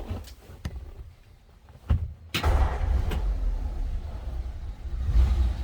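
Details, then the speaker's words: 1946 Ford Super Deluxe Woody Wagon flathead, 3-speed manual in neutral, push-button start: a few clicks, then it catches almost at once into a low, even rumble; easy, healthy cold start. "So easily that flatty started up."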